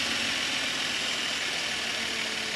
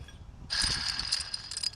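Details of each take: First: 2012 Subaru Outback 3.6R at idle after replacing the noisy idler pulley and bearing (tensioner pulley bearing done earlier): smooth, even idle with a steady light hum, no squeal, chirp or rumble from the belt drive; nice and quiet, healthy. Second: 2012 Subaru Outback 3.6R: with the belt off, the old idler pulley spun by hand gives a harsh, gritty, high-pitched whir that fades over about a second. Its bearing is worn and caused noise at idle, after the tensioner bearing was already replaced.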